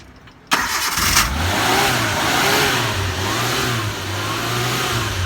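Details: Suzuki Carry, long unused, whose fuel pump would not draw fuel; fuel was fed in close to the pump, with excess returning to the tank. After earlier cranking it now catches within half a second and settles into a steady, slightly uneven fast idle.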